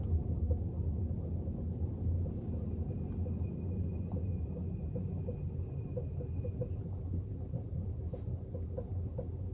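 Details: Peugeot rolling slowly in neutral: soft, steady knocks over a low rumble, audible only on hot days, for example approaching a traffic light; cause unknown.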